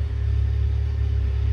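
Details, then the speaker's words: 1995 Honda Civic just after fuel pump replacement with a high-performance pump; starts with no check engine light and idles with a low, steady, even four-cylinder rumble, no misses or knocks; normal idle. "we're gonna go ahead and start the car and there we have it guys starts up no check engine light no nothing"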